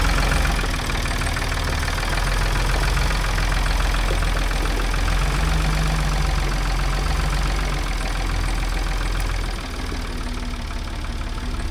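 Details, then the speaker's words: 1978 Ford backhoe diesel, first run in decades, oil pressure gauge just hooked up: steady diesel clatter at about four beats a second, even rhythm, no stumbles; runs really well. "it does run really well though so that's got me excited"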